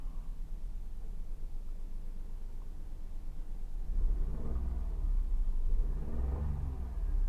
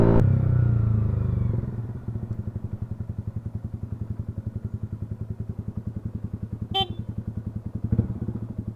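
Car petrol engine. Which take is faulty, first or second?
second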